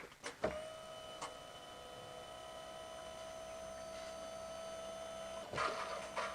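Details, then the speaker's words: 2013 Ford Territory 2.7 L V6 turbo diesel, ignition on to prime the in-tank fuel pump after a fuel filter change; steady high electric buzz then a few clicks, normal priming. "We might hear the sound of the fuel pump change as well. That would indicate that we've got rid of the air."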